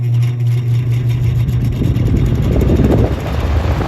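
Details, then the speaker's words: 1969 GE W25 box fan heard from the back: strong steady low hum under the airflow from loose motor windings, which GE fans are famous for; otherwise runs well for its age. "Let's go ahead and get started from the back, see if you can hear the loose windings from here."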